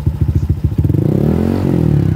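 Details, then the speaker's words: Honda ADV150 scooter at 41,000 km, noise at the rear wheel, to be fixed by replacing the torque drive bearing assembly. Rhythmic low clatter that rises to a steady drone as the wheel spins up; worn torque drive bearing. "So tinesting natin ito mga boss. Mayroon siyang ingay dito sa may kanyang gulong."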